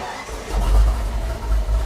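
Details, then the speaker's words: Ford 351 Cleveland V8 in an F350 being prepped for a roadworthy certificate: after the fuel pump primes, the engine fires after a short crank and settles into a steady, even low rumble with no misses, a healthy start. "all right so as the fuel pump screams into life i guess the last thing to do is make sure it still runs"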